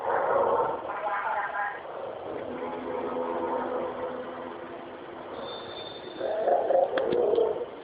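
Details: Speakers with only the power cable plugged into the mains, input cable lying unconnected: muffled, garbled voice- or radio-like murmur heard with ear to the speaker, weirder at higher volume; source unexplained.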